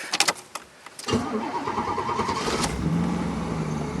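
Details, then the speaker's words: 1989 Pontiac Firebird Trans Am GTA, upgraded TPI 350 with Edelbrock intake, exhaust and transmission work. A few sharp clicks and a crank before it catches and settles to a rough idle. After sitting a week it sometimes needs a second crank. Cause not stated. "if you haven't started it for a week, sometimes you crank it for about 4 seconds, let off and crank it again, fires right up."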